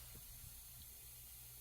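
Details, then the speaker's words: Freightliner big rig, engine off: steady high-pitched hiss of compressed air leaking from the air horn, found after searching all over the truck; owner plans to remove and fix it. "No, I've never heard it before, but I can definitely hear it now. Air is leaking out of the air horn."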